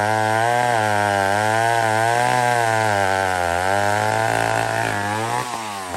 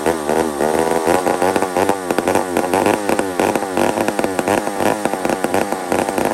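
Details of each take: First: Old McCulloch 1-71 chainsaw after a major carb upgrade: carb rebuilt, leaking gas line zip-tied, intake leak fixed with a double gasket. Strong steady high-revving buzz holding pitch with slight wavering, easing off near the end. Normal running. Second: Old McCulloch 1-71 chainsaw after a carburetor upgrade: runs high and races with a sharp, surging buzz that won't settle, leaning out; owner sees a huge vacuum leak at the intake gasket.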